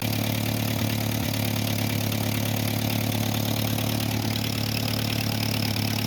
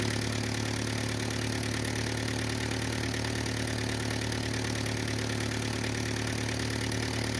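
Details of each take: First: 1949 Ford 8N flathead tractor idling unevenly with a sharp puffing tick on each firing stroke. A suspected exhaust leak, possibly at the flange, which is known to be leaking. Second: 1949 Ford 8N flathead tractor, auction buy, first start with unknown carburetor settings, timing and plug gap unchecked: steady even low idle, smooth putter, no knocks or stumbles; runs fine, possible exhaust leak at known leaking flange.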